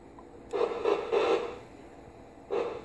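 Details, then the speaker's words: Fan fed by an LM7812 12 V regulator with no capacitance on the bus: regulator oscillation puts short buzzy bursts into the radio speaker through the coax, coming and going as the coax moves near it. "all right you're basically hearing the fan the fan's motor is uh causing interference with the radio through the coax"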